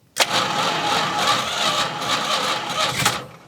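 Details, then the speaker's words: 1971 Plymouth Road Runner 383, sat since 1989: hard start, then it catches with a roar and runs ragged for a few seconds before fading; the carburetor is suspected, with the float likely stuck and possible flooding. "oh we caught that time she's a little wounded I think the carburetor is not"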